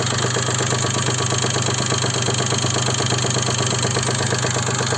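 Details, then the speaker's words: Daewoo Matiz 0.8 engine idling, distributor set to timing mark: steady knock about three per second that never fades and persists across the full distributor adjustment range; source unidentified. "Стучит. На всем диапазоне регулировки трамблера стучит."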